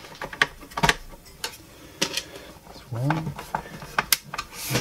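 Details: Technics SL-J110R turntable after reassembly, function test: scattered clicks, a short whirring sweep and a final clunk as the tonearm mechanism cycles; autoplay working normally.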